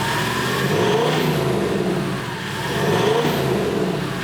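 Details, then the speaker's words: Turbocharged FJ49 build: two smooth rev blips rising and falling cleanly, turbo spooling whistle climbing alongside, no drone at idle; healthy exhaust. "Like it actually sounds kind of normal, but then when you give it, the thing sounds mental. You can hear the turbo spooling and that, which is going to be awesome for touring, dude."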